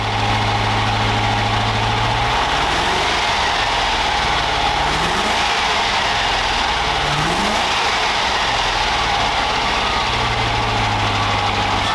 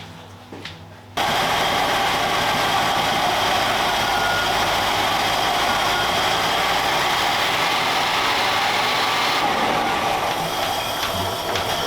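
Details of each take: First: okay there we have some revs from this amazing 3.9 V8 Range Rover Classic Second: Range Rover Classic V8 with an idle that surged up and down: a busy, uneven hum with an irregular pulse. The idle air control stepper motor is faulty; unplugged, the engine idles at about 1100 rpm.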